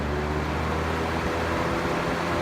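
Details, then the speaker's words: Vintage GE box fan after oiling and cleaning, on high speed blowing toward the microphone: even, steady rush of air with a low hum and no rattle or scrape; running smoothly on high. "Pretty quick on high."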